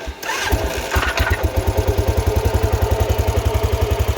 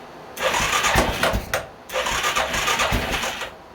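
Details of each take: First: 2000 Arctic Cat 500 4x4 ATV, Suzuki 500cc single with a used replacement crank, idling in neutral after the rebuild with the transmission broken; fires and settles into a steady thump about four beats a second, no bottom-end knock; the bottom end is sound. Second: 2000 Arctic Cat 500 4x4 quad (Suzuki 500cc engine), first start after cleaning tank and fuel filter, water found in gas: catches twice in rough bursts with heavy uneven thumping knock; owner hopes something loose, later fixed with used crank — crankshaft knock.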